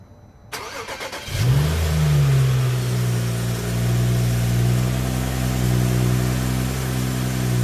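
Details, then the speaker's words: 2011 BMW 335i E90 N55, after DIY replacement of OEM belts and pulleys in freezing cold: cranks, catches, settles into smooth, even idle, no belt chirp or squeal. "success everything works the engine did not explode"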